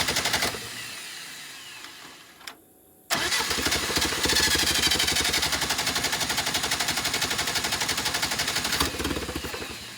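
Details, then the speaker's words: Willys CJ2A Jeep, first runs after revival (run but not yet driving), idle adjustment off; restarting attempt floods it, starter chugs about four even beats a second for several seconds without catching, waiting for it to stop spinning. "I flooded it. Got to wait for it to stop spinning."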